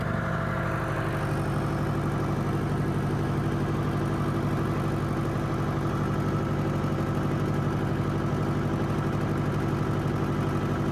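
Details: Bobcat rebuilt after a fire, started after restoration. Steady, even diesel chug at idle with a low solid beat and no knocks or rattles; healthy running engine.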